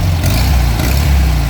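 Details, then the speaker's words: VW Fusca (Beetle) 1300 air-cooled flat-four after retightening the intake manifold/carburetor base bolts at the cylinder head: earlier whistling noise gone, low steady even idle with no whistle, engine sounds healthy. "sumiu barulho aí ó ó"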